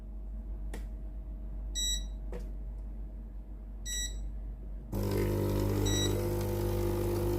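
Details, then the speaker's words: Philips GC7051 steam iron opened up, running clean/rinse key: a few panel beeps, then a steady even electric buzz as the water pump draws from the tank with no strain or rattle; pump normal, suspect clogged hose or soleplate. "ตัวนี้นะครับผมปั๊มน้ำนะครับผมสามารถปั๊มน้ำสูบน้ำจากในส่วนของตัวแทงได้นะครับ"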